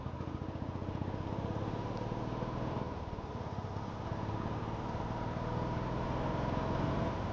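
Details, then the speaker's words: Royal Enfield Standard 350 at 68,169 on the odometer, run until the petrol tank was empty during a mileage test: the single-cylinder thump turns uneven with skipped beats and a wavering idle, then it stalls. Misfire from fuel starvation. "Guys finally missing വന്നിട്ടുണ്ട്. വണ്ടി petrol ഇപ്പോൾ കഴിയും, നിങ്ങൾക്ക് തന്നെ കണ്ടറിഞ്ഞ് കാണാം."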